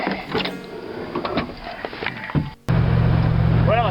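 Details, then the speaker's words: Car after shade-tree exhaust fix, a pipe spacer keeping the muffler from banging into the frame: after handling noise, steady low drone with no banging or rattling; rattle fixed, exhaust sounds solid. "did fix the rattle that sounds great"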